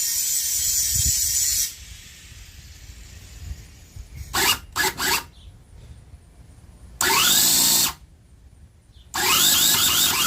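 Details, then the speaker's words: Cison V8 model engine kit, low battery (ignition rated down to 8 volts), cranking in short whirring bursts with pauses, never catching into a steady run: cranks but won't start, briefly seemed to pop earlier; cause not confirmed. "So you can hear it trying. I mean, right now the battery's low, but this ignition works down to 8 volts, so it shouldn't be that much of a problem."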